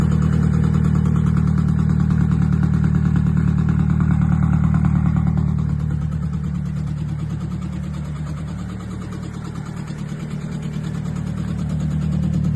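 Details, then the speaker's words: Newly bought Nissan S-chassis, just restarted with plugs refitted and a good battery: uneven, lumpy idle sagging and recovering with many bad noises; radiator heating very fast, owner hopes head gasket, fears warped head; unconfirmed. "And as you can hear, there's a lot of noises that you don't want to hear from an engine."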